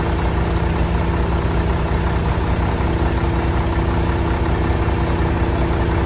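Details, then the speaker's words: 1975 Mack FR700 8x4 twin-steer diesel truck, first start in many years after fuel was bled to the injector ports: deep, steady idle with even low thumping and no misses or knocks, running cleanly. "Well, she's a goer. Success. I'll put that top pipe back on and then we can give it a rev."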